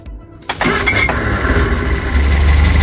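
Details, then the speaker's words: Eddie Stobart Reliant Supervan after carburettor clean, warm engine started on the key only, no throttle or choke: short crank, catches within half a second and settles into a steady, even idle. A clean warm start. "Just thought I'd show you how this starts up. Now it's warm. No throttle, no choke. This is just me turning the key."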